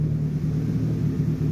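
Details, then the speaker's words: Idle of a 1989–1990 JDM Nissan Pulsar GTI-R (no OBD) after a vacuum leak was found and fixed; smooth, even low rumble with no stumbling, running about 5 minutes, earlier occasional smoke rings from the exhaust; healthy idle. "hard to tell but at this point she seems not too bad certainly that was the issue we have found the issue it's been running for a good 5 minutes"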